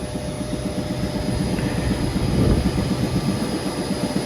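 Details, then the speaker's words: Carrier commercial rooftop unit repaired for no-heat, now heating: loud rumbling drone with rough, uneven rattling, shaft has play; bad fan bearing, to be replaced. "sounds like [ __ ] for real looks like a bearing's bad in there so we're gonna write up for the bearing to be replaced"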